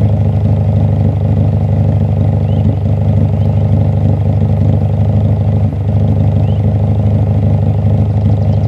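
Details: Acura Integra with a steady petrol idle and one brief random stumble where the firing drops out at 53 seconds, and the misfire can't be duplicated. Codes P0450 and P0453 are set despite a new rotor, cap, wires, plugs, fuel filter and timing belt.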